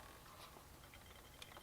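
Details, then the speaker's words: Honda Grom with newly installed TRS 12x4 front wheel, rotor bolts only hand tight, wheel bearing preload set: quiet even whir with faint ticks of slight brake pad rub, no knocking; wheel spins freely. "They're all hand tight on this right now, so you can hear it still has pretty good movement without any knocking."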